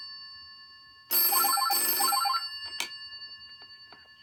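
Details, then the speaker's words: 1963 GPO 706 rotary dial telephone in Concord blue, ring-back test: two rapid metallic bell bursts with a ring-off tail, bright and even on both; bell ringer working normally. "So here we go. So this is what the ringer sounds like."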